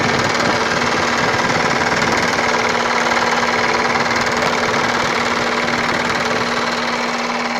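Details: Light knocking about four per second over the idle from the AC compressor on an Opel Astra with Z16XER engine; AC compressor knock.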